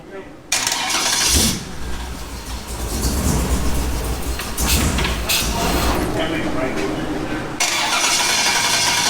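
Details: Off-road wrecker engine with new injectors, fuel pressurized: starter cranks at about three beats a second but never catches; crank no start, fuel confirmed present, injector setup suspected wrong.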